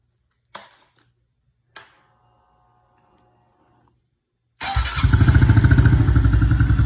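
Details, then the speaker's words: Honda CRF110 single-cylinder started after air box mod removing restrictive metal screen and fitting larger RAD intake tube; a couple of clicks, then catches and runs with a quick, even putter that lifts cleanly; starts and revs fine. "now without this should be better obviously there'll be nothing in the way and uh we'll go ahead and start it up for you real quick see if you'll notice a difference"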